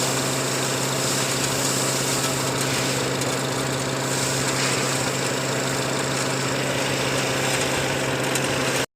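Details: Petrol engine idling steadily with even pulse, no stumbling or hunting, after diagnosing an air-suction leak (system voltage low code, new intake cam actuator).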